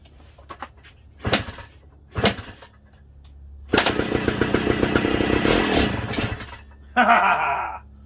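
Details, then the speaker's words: Kawasaki KE125 two-stroke after spark and compression checks, fuel system still unsorted: a few kick thumps, then raspy catch and crackle for about three seconds before dying; first start on a bit of fuel. "Little bit of juice right there, guys. Little bit of juice. That was the first start on this bike."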